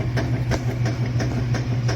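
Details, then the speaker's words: Admiral washer after lid switch (WP8318084) replacement, lid closed: steady motor hum with even rhythmic swishing strokes about three per second; normal agitation with the new switch, whereas a bad lid switch stops agitation. "so that's one of the symptoms there that you have a bad uh lid switch if it does not start to agitate this is working correctly with the uh new lid switch"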